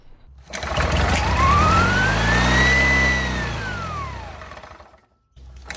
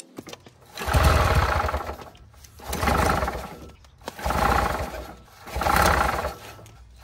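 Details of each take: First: 1967 Army generator, 2-cylinder 3 hp, after cleaning the points (earlier ran on only one cylinder): small twin sweeps up and settles smoothly, no misses or stumbles; normal running on both cylinders. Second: Misfire on a non-running 1967 Vietnam-era Army generator (2-cylinder, 3 hp, 1500 W) before cleaning the points: it fires in short, rough, uneven surging bursts roughly every two seconds, running on one cylinder because the bottom cylinder had no spark.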